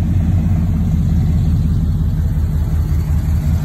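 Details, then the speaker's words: 1998 Chevy K1500 at idle after a wiring fault stopping the AC compressor was fixed: a steady, smooth engine drone with no clatter or squeal. The compressor engages and the AC blows cold, working normally. "as you can see right there the compressor is running it is running good doing what it's supposed to do"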